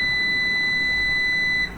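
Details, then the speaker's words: Numeric Digital 1000+P 1kVA UPS switched off after mains cut and battery switchover: one steady high-pitched long beep repeating for over a second and a half; faulty control board, fixed by replacing the board. "இந்த மாதிரி long beep கேட்டுக்கிட்டே இருக்கும். இந்த இஷ்யூவை எப்படி solve பண்ணியிருக்கோம் அப்படின்னு பார்த்தீங்க அப்படின்னா, இதனுடைய போர்டு தான் இஷ்யூ அப்படின்னு சொல்லி நியூமரிக் சைடில் சொல்லியிருக்காங்க."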